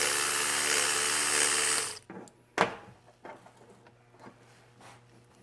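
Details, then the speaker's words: Bosch 044 Chinese knockoff fuel pump bench sound test with no fuel flowing through it: a loud, steady high whine for about two seconds, then it cuts off; the pump is running dry. "this is just a sound test to see how it sounds I'll just put it on for a short time because it's not good to have a fuel pump running when there's no fuel going through it"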